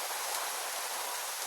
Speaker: that's the van warming up that's the the heat from the Sun hitting the roof coming through and warming up that little space between the